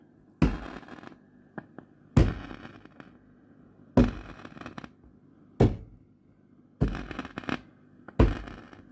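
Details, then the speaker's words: 1968 Twin amplifier: sharp crackling bursts about every 1.5 seconds each time the chassis is tapped, from an intermittent loose connection somewhere near the middle; tube sockets checked without result; exact cause unconfirmed. "c'est pas une vraie fassis une panne mais c'est un faux contact quelque part je vais vous faire écouter [Musique] ah ben on n'entend pas énormément et si je tape dessus"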